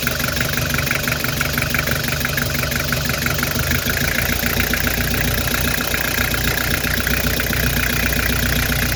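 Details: Nissan TD27 diesel shaking and smoking from exhaust: rough clattering idle with uneven beat and a dropped stroke every few turns; cracking injector pipes one by one, smoke stops only at number four, so cylinder four is misfiring.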